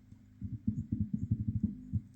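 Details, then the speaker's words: Dead low-end home theater system that won't fully turn on; its amplifier IC was replaced earlier. Touching the amplifier input gives uneven bursts of low buzzing hum from the speaker, showing the amplifier section is good. "that humming noise. So, the amplifier section is good."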